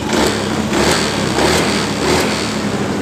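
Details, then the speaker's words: Honda Beat ESP scooter after a reset via the DLC socket: steady, even putter at idle with no misses, stumbles or knocks. Engine runs normally. "motor hidup dengan normal"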